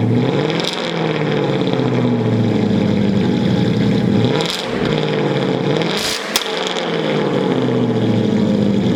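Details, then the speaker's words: BMW E30 six-cylinder started at a shop: catches cleanly, settles into even idle, crisp blips rise and fall smoothly; sounds really healthy. "not bad at all it's a beaut for sure she sounds like really healthy she's a pretty car"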